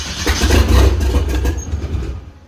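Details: 1927 Ford Roadster with 2.3 L turbo engine, first start attempt after fuel system repair and fan switch install: starter churns steadily a couple of seconds with no firing, then stops; cranks but won't start because a sensor was left unconnected.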